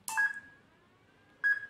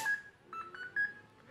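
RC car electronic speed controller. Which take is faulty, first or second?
first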